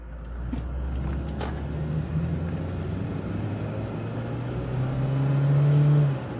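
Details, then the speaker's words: 2002 Toyota RAV4 4x4, 1AZ-FE, automatic, after the repaired ECM was reinstalled: climbing a hill, the 2nd–3rd upshift that used to clunk badly is now clean, with revs dropping smoothly and no clunk or flare. Normal upshift under load. "Ooh, nice shift. Remember, second and third, it clunks real bad. It hesitates in second and third, but that worked. It didn't clunk."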